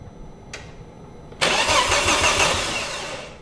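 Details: Ford Focus ST after new cam belt, refurbished turbo, major service and fresh oil and coolant, first crank: short click, then steady even cranking about four turns a second, no metallic knocking; valves clear the pistons.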